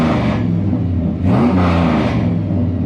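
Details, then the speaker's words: 2003 Ram after PCM swap and codes cleared, first start in about two months: fires right up to a deep, smooth rumble that climbs cleanly on throttle blips and drops back evenly; normal running, problem solved. "thing still sounds like a beast so man we got the problem solved"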